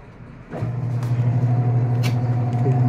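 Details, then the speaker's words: American Home automatic washing machine after controller board replacement for a no-power fault, spin-dry cycle: drain motor engages, then after half a second the motor settles into an even low hum with no knocking or grinding. Normal spin. "so spin dry naman yan so spin dry start Ma babatak yung drain motor niya yun tumunog drain motor bumatak siya tos mamaya ikot siya ng spin"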